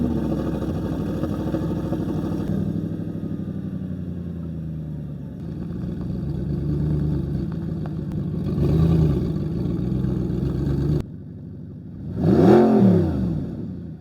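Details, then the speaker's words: Crashed Audi R8 V8 from a salvage auction, just started: very loud, raspy, booming exhaust as it revs and the whole car moves; owner unsure whether the exhaust is damaged or normal, and smoke may be appearing. "This thing is This thing sounds absolutely crazy. I I don't I don't know if the exhaust is damaged or is that how they actually sound because as far as I know the the exhaust is stuck, but listen to this."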